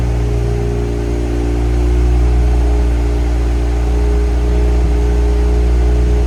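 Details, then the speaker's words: Barn-find Mazda RX-7 engine, first run after a complete rebuild and 25 years off the road: a steady, deep, buzzy idle held a bit fast with no dips. Idle sits high because the throttle position sensor hasn't been set yet. "And idle's a bit high, but keep in mind I haven't set my TPS yet."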